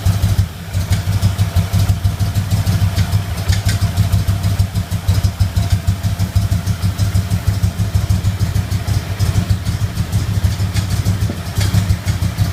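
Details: Engine at idle, sound at passenger-side lower intake manifold: steady idle with a repeating pop roughly three a second over low rumble; popping at idle, cause unknown.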